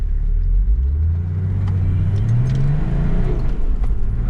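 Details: Nissan GU Patrol with swapped TD42 diesel after the rebuild. Deep rumble climbing steadily in pitch through first then second, smooth pull with no knocks or misses; healthy engine.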